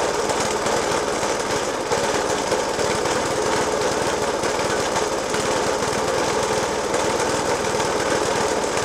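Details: Suffolk Punch 30S mower, 1991 era, Dellorto FCH 20 carb; after new spark plug, decoke and carb clean, still loud rapid uneven banging over a harsh steady idle that never smooths out; cause unknown.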